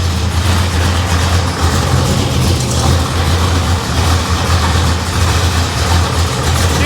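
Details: '55 Chevy Nomad supercharged engine with Turbo 350, first fire after a suspected no-spark; deep, steady, even rumble, quiet through the mufflers, no ticks or knocks; exhaust loose and banging; normal idle.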